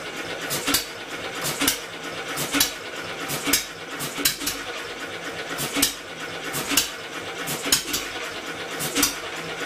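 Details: Homemade double-expansion engine from a two-cylinder air compressor, being weaned off electric motor assist after moving the ignition magnet closer to its sensor: slow sharp bangs about once a second with clatter, can't keep running; owner suspects a too-light flywheel.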